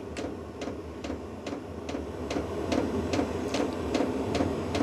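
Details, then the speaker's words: A VEVOR diesel heater restarted after error 10 gives sharp, regular fuel-pump clicks a bit over two a second under a low hum as it tries to ignite; the ticking gets faster, then it warms to 17–20 degrees. "Sounds like it's trying to start. It's trying to start. You can hear it trying to start. Okay, it's getting faster and faster."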